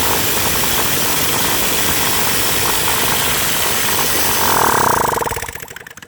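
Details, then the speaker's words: Copeland scroll compressor in Panasonic floor AC unit, run continuously for 8 years without an oil change: loud, uneven banging about four times a second, dying away as it spins down; internal scroll knocking from a small vital part worn out. "gerakannya tidak beraturan. Saya mematikannya karena suaranya terlalu keras."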